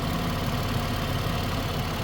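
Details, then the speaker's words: 2011 Ford Escape, 3.0 or 2.5 engine unclear, warm idle: busy, rough-edged clatter over a steady hum that appears once hot; rod bearing or a belt at the back of the engine suspected, not pinned down. "see how all the noises start coming when it gets warm you hear it this is another belt that's in the back of the engine"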